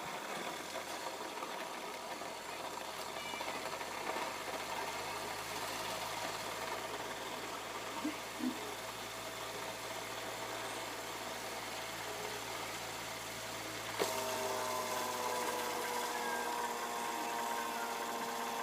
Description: This video is about Camel PSIF-16 (55W) repair, noisy when spinning, wornout shafting, bushing replacement, and capacitor replacement.